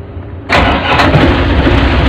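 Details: Lifeboat diesel engine that starts only intermittently, battery suspected, tested on battery number two: after silence it catches at once and settles into a steady, even run with no stumble, a healthy start.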